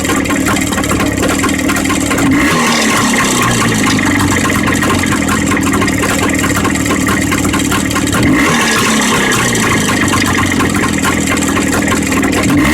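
Steady two-stroke idle with a dull, fairly regular knock riding on the firing beat and a couple of short revs; source of the knock undetermined.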